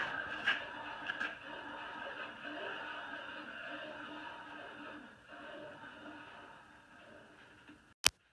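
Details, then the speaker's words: Chevy Impala project car after rear hub bearing replacement, hand-spun wheel: a soft, even whir slowly winding down with no grinding or squeal, just faint brake pad drag; healthy wheel bearing spin. "cool smooth they're not squeaking there's a little bit of drag from the brake pads on the brake rotor but that's dumb it just keeps going and going and going and going and going"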